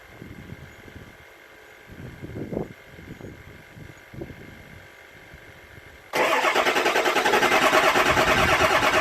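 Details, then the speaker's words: 7.3 Powerstroke diesel at about 60°F after injector shimming work, with the number 8 injector accidentally left unplugged under the valve cover: about six seconds of weak, uneven cranking before it catches and roars up; hard start, rough running, check-engine code. "turns out when you leave number 8 injector unplugged under the valve cover it runs like crap and throws a code and it's hard to start"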